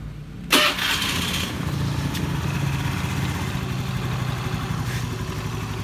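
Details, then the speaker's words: Honda Beat scooter CVT after fixing a rattling "rek-rek" noise when throttled (pulley bearing already replaced, padding/shim added): scooter starts and settles into an even, steady run with no rough drive shudder; now smooth. "Nah, sudah halus."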